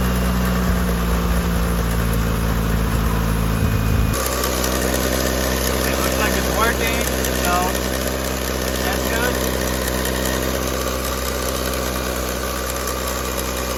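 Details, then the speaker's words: Car restarted after repair work: cranks briefly, catches and settles into a steady idle with a light, fast tick on top, about four a second; ticking noise at idle, cause unknown. ">> Uh that sound is what it's turning now. That ticking sound. I don't know if you guys can hear it."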